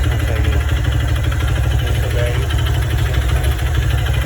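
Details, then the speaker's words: 150cc single-cylinder motorcycle, engine never rebuilt by this owner and apparently not by the previous one: steady idle with a loose, irregular tapping over the low beat, heard when the throttle is released; knock inside the engine, cause undetermined. "ai ai ó lá quando para de acelerar o barulho que faz essa você é louco"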